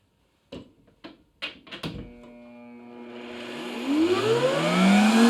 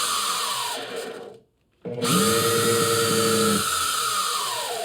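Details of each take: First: Replacement Mastercraft router mounted in a bench-top router table lift, replacing a Bosch that squealed then quit; switch clicks, then the motor pitch climbs smoothly over about two seconds to full speed and eases off. Normal soft start. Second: Bosch router, about 20 years old, in a router table lift, front bearing squealing for years: motor spools up with a steady high squeal and rubbing edge over its whine, burning smell; suspected worn brushes or bad bearing, not confirmed.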